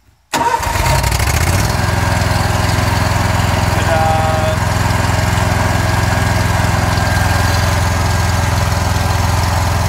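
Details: John Deere Z Trak mower that wouldn't start on a parking brake code, after tightening the parking brake and a little choke: quick crank, catches at once, settles into steady even idle with no stumbling; healthy start.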